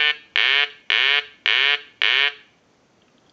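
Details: Telemania duck telephone, repaired and converted with installed quack sound, ring cycle sent from line analyzer: five even warbling rings about a third-second each, steady spacing, then a quack; ringer works properly.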